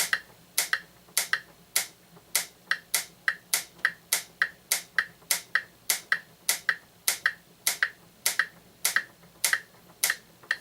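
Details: Franz FB-4 electric metronome, likely from the 1940s–50s, using AC line frequency as reference: crisp, evenly spaced clicks near 184 per minute with no drift; keeps accurate time, normal steady ticking.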